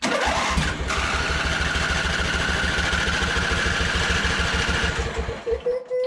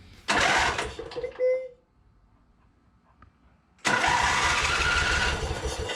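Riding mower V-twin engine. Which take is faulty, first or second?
first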